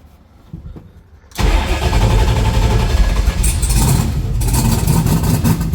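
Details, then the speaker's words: Notchback drag car after starter wiring repair (it wouldn't start hot at the track), no voltage drop on the negative side: it cranks surprisingly fast but needs throttle to fire, then catches abruptly into a rough, lumpy idle; hard starting. "Need to give it gas for some reason to get it to start."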